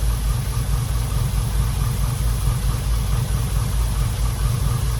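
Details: Chevrolet C10 squarebody, about 1979, injected: a deep idle with an irregular, loping pulse and dips in rhythm, as if one cylinder misses; the injector connector gets power, so a bad injector is suspected.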